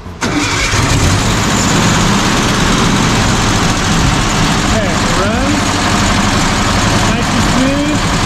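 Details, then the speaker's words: 1967 VW Bus 1500cc engine after valve adjustment, timing, carb adjustment, new distributor and coil: starts straight away and settles into a steady, even, smooth air-cooled idle with no misses or knocks; throttle linkage still needs adjusting. "the runs it's nice and smooth"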